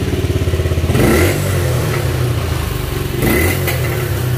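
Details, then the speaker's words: Motorcycle that bogged at 6,000–7,000 rpm and stalled, with hard restarts, after an ignition coil replacement and a 10-minute ride: very hot engine fires up straight away into a steady, even beat with crisp throttle blips, no stalling or noise; fixed. "listo parece que quedó no se apaga no tiene ningún ruido la moto está muy muy caliente"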